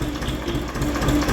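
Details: Tractor idling: a dry, irregular crackling rattle from the dynamo, which is shaking. Its bearings are broken and the pulley has play, it is not charging, and it is to be replaced with a dynamo or an alternator.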